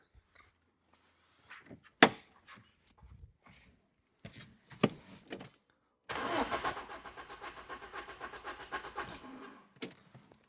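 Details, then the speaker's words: Renault Clio 172/182 F4R engine with misfire, during compression test with plugs out: about four seconds of steady rhythmic starter cranking with whirring starter and no firing, normal cranking. "If you're wondering what that weird noise is, that's a starter motor."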